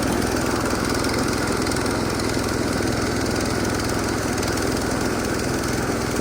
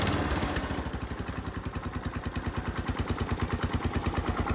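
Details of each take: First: Massey Ferguson 16 garden tractor with old Kohler single-cylinder engine, revived after sitting since about 2013 with a replacement aftermarket ignition (33-393); everything works: steady, even chug at constant speed, no misses, knocks or surging; running healthy. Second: Massey Ferguson 16 garden tractor, just fitted with a replacement aftermarket ignition, throttle set to full: slow steady chugging about three beats a second, never picking up; owner suspects throttle cable adjustment, full sounds like mid-throttle.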